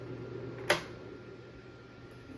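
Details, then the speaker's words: Humidifier fan running on low: faint soft steady hum, nothing rattling, one handling click. Very quiet; the fan isn't perfectly balanced. "L is very quiet you can just see the fan slightly the fan doesn't have the best balance ever but it's a humidifier so it doesn't really matter that much"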